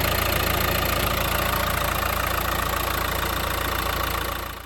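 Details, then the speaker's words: 2015 Mercedes A180 1.5 CDI diesel, Renault K9KF452 engine, before the oil change: even idle clatter about three and a half beats a second, run 10 minutes to warm the oil, then winding down at shutdown; healthy. "Now that it's running, we're just going to go back outside, have a good look at it, make sure it's not leaking. Then we'll just leave it running for 10 minutes just to get the engine warmed up before we drop the oil."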